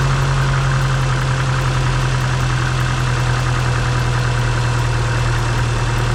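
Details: Completely dead car just started with an AutoOne jump pack: deep, steady engine drone at constant speed with no stumbling; idling normally after the start.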